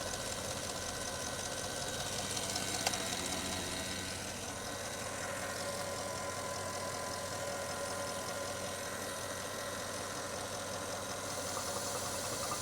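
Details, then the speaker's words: Porsche Cayenne idling after belt tensioner replacement and retightening loose water pump pulley bolts: quiet, even idle, soft steady hum, no squeal or chirp from the belt drive; previous screech fixed. "That sounds good. Well, hopefully you can hear that. No noise. It's almost like I did that by the power of touch."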